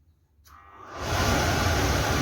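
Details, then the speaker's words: Gas burner fan after replacing the worn motor ball bearings, test run via thermostat; spins up within a second to a smooth, even rushing whoosh with no grinding or squeal, normal running and no more noise. "خب کارکردش عادیه، صدا هم دیگه نمیده."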